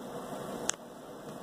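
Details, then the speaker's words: Bosch WTVC3300US/10 electric dryer after reseating its motor under the slipped hold-down bracket, which had let the drive shaft rub the tensioner wheel: a quiet, even hum with steady drum and fan noise and one light click, no grinding. Now running normally. "play button here start button it sounds normal whoo"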